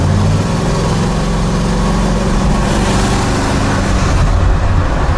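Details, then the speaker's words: Freshly refreshed big-block Buick GS on a test drive after timing and carb tuning: deep, even V8 rumble holding steady under light cruise with no misfire, stumble or knock; running clean, though a cold header tube on number six at idle remains unexplained. "Got quite a bit of body roll as most of these old Aodies have, but it drives nice. It sounds good."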